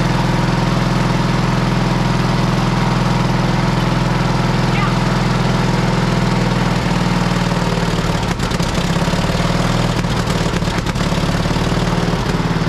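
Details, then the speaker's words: Pony starting engine on a road grader after tapping free a stuck-open valve and correcting swapped magneto wires: steady even low thump firing cleanly at about 140 beats a minute with no misses; normal running. "and after some tapping that's working as it should"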